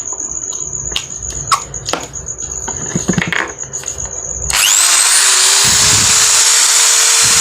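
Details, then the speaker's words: Makita drill that had growled, lost power, slowed and overheated, after replacing burnt brush springs worn from overuse: after some clatter it spins up to a steady high whir with even pitch, no growl, running normally again. "Sudah normal kembali. sudah."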